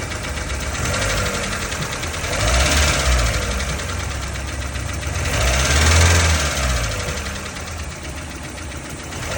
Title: 1994 Tercel clicking sound normal??